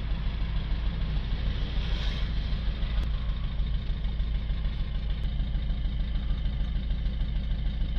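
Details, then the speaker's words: Citroën C4 Picasso 1.6 diesel, bonnet open, engine management light on, code P0265 injector 2 signal short circuit, no response from injector 2: uneven, stumbling idle with a rough shake every few turns; misfire from shorted injector circuit. "I don't know if you can hear that on camera or if you can actually see that, but the engine is sort of shaking and it sounds like it's misfiring."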